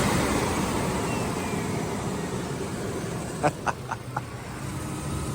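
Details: Flood-damaged $450 Chevy S10 Blazer idling in very humid weather, moisture smoke from exhaust: low, even idle rumble slowly settling, a few brief outside clicks; running smoothly with no misfire.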